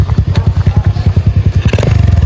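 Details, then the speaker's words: 1985 Yamaha XJ700 motorcycle after long storage, idling on its own: steady even pulses about eight per second with no knocks, misses or hunting; healthy idle. "It's idling on its own. It's doing really well right now."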